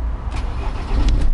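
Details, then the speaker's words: 2010-reg Ford Transit 350 Jumbo van, 53,254 miles, 6-speed gearbox: a brief crank of a couple of turns, then it catches and settles into a deep, steady running note; normal engine start. "Couple of turns and away she goes."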